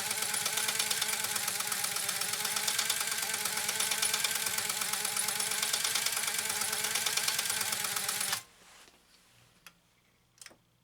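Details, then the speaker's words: Restored Pfaff 130-6 sewing machine sewing its third decorative stitch with an embroidery kit, at position 3 (far-right needle) and Control A very active. Fast, even clatter of about three stitches a second, no knocks or drag, clean stop: normal running. "You see this one is quite active when it comes to that manipulating the stitch width. Control A is also very active with this stitch, very, very active."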